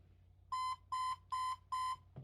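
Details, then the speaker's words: HP ProDesk 600 G3 Mini with a non-T (65 W) CPU installed, powered on: clear mid-pitched POST beeps, read as 3 long and 4 short, and it fails to boot; the code is listed as a power supply fault. "Well, that's 3 beeps, 3 long followed by 4 short. Now, interesting, I'm looking up 3 long, 4 short, and it's talking about power supply."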